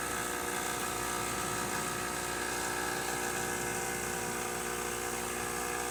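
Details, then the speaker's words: Expobar espresso machine after a full tune-up: steady hum with an even mid buzz as the boiler refill pump runs after steaming, operating normally. "Nice strong steam. Get some water. We'll listen for the refill."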